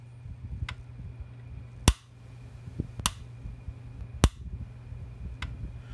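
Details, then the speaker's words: Early-to-mid-1990s PEL 609 110-120 V electric fence charger, after repair, set to reduced power, gives sharp loud snaps about once a second over a low room hum, strong even sparks; firing properly. "See, the thing throws a huge spark. The video doesn't do this justice. See that reduced power, see how strong it is."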